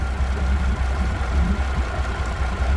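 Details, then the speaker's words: 3-year-old V6 Mercury outboard on a 21 Montauk boat at idle: low lumpy idle with uneven shimmy, idle air control valve struggling, sounds like running on five cylinders; misfire with no codes, spark plugs pulled next. "The idle air control valve really tries to keep up with it. Hear that? That sounds like she's running on 5 cylinders. Shouldn't have that shimmy."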